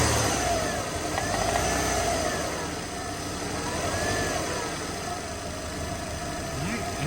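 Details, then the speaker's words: Subaru XT with a known bad motor, first start after coil pack work, smelling of old gas: rough idle with a light, uneven knock about three per second; possibly a coil pack still missing, and a rod knock is suspected. "has some she's knocking a little bit not smoking now or anything"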